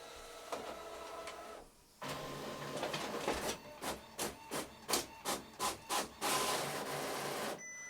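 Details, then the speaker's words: Epson EcoTank ET-16600 automatic document feeder after stripdown and replacing one small gear that caused grinding and jamming: even rhythmic whirring and light clicks about three per second, no grinding or skipping; feeder working. "All right, that's it working. Let me just test that one more time with 2 sheets."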